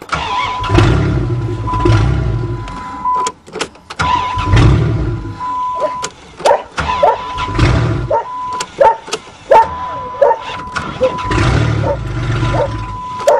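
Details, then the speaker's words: Caravan minivan engine just unseized, still tight, on a sideways van: several cranking bursts that catch, fire and rev in uneven runs with a steady chime behind; freed engine cranks, starts and keeps running. "well we have brought you know what back to life risen from the dead"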